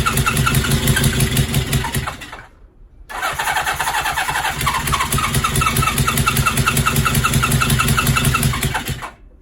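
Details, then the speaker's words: 1977 Suzuki GS750 four-cylinder, first start attempt during restoration, valve clearances slightly wide: catches roughly, stalls, refires lumpy before cutting out; carburetor overflowing, float bowl/level problem suspected. "there is leaks in the carburetors one of them's overflowing so obviously the float bowls is some sort of problem there it's sort of trying to start"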